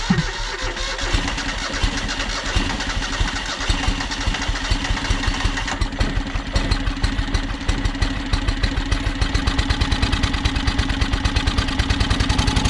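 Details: John Deere X485 mower, fresh gas, plugs checked, battery nearly dead; choppy uneven beat that never settles to a clean idle; owner suspects fuel starvation, maybe air pressure related; rough running.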